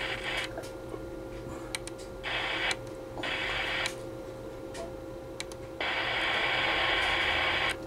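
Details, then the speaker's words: CB radio on AM in central Iowa, channels 15 to 20: hissy static bursts of a second or two come and go over a steady high tone, moving between channels; started 20 minutes earlier, nothing in the house blamed, source unknown. "i am whatever it is channel 19. now it's on 16. it's moving around now it's on 50."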